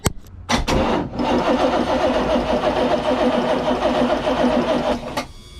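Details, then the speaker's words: Crusader 454 XL marine port engine, sat long with water-contaminated fuel: steady cranking at about four turns a second with even compression, never fires; no fuel delivered, fuel starvation, compression seems fine. "There ain't no fuel out of this one. Okay, so what we found with the port engine, it doesn't seem to be low compression, it seems to be lack of fuel so far."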